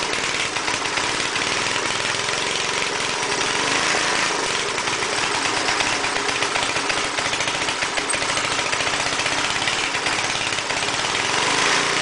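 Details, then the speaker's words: Air compressor's small engine after head cleaning, valve seat work and an oil change: a ragged, uneven buzz that keeps surging and sagging instead of holding speed. Owner suspects the governor or carburetor; unconfirmed. "there could be a problem with the governor cuz uh it's just like you can see what it's doing I don't know exactly how these uh compressors are controlled"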